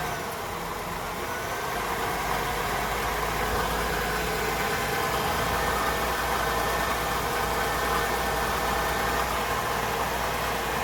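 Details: 2000 Honda Odyssey losing coolant with a noise on acceleration; engine runs steady at light throttle with a constant rough whirring hum from the worn water pump bearing, fixed by replacing the water pump (timing belt/chain advised at the same time).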